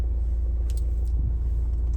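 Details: 2017 Hyundai i20 Asta diesel, idling with AC on: steady low diesel rumble with faint constant hum from the AC load, no knocks or misses, running evenly; normal idle.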